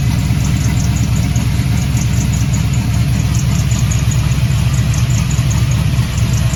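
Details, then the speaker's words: LS-swapped G-body Cutlass V8, one muffler off, cold start: faint quick high chirps repeating over loud open-exhaust idle; owner suspects the accessory brackets, a common issue, with a Dayco 6PK2030S belt fitted. Belt squeak on cold start. "um yeah that's it hopefully y'all can hear that in the video the squeaking"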